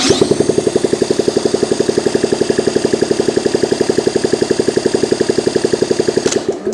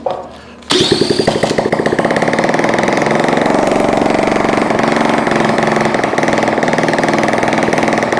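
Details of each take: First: Honda ST70 vintage motorcycle, first start attempt after sitting, ignition hotwired from stator straight to coil, electric starter: even cranking about three beats a second, never catches; cranks but won't start, spark not yet checked, starting fluid next. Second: Honda ST70 minibike being revived, with a replacement carburetor fitted and electric starter: it catches almost at once and settles into a quick, fairly even putter for about twelve seconds, then shuts off; normal start and running.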